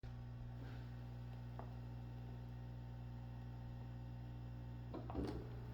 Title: Trumedic Symphony - Buzzing Sound